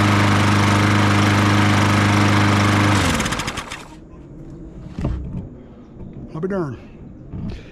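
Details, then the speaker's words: Troy-Bilt TB200 push mower with Briggs & Stratton 625EX, after sitting outside for years and carburettor cleaned: fired first pull, holds a steady even drone for three seconds, then shuts down cleanly; runs smooth and healthy. "fired on the first and it cranked on the second I am very surprised"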